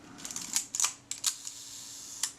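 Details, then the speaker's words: Retina IIIc camera after shutter overhaul, tested at one-second slow speed that failed before repair: soft cocking click, then crisp opening and closing about one second later; even timing, slow speed now works. "let's test a nice slow speed here one second because it wouldn't do that when we started that sounds good to me"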